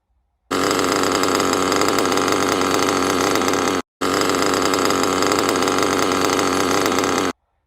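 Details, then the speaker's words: Small RC nitro engine screaming with a harsh, gritty rasp from a bad crankshaft bearing that can shed small pieces. "but this one that's the noise you will hear okay and uh you will have uh you you don't want to ignore that noise because this bearing will break small pieces"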